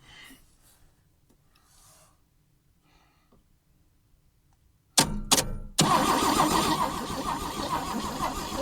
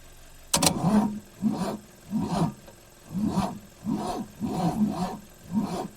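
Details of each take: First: 1965 AMC Rambler American, sat 30–40 years, cranked with a good battery instead of jumper cables: starter spins briskly, engine catches cleanly and settles into a steady run. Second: 1965 AMC Rambler American sitting 30–40 years: starter drags the engine over slowly, about one labored compression a second, never catching; weak or no battery and a worn starter, no valve clatter.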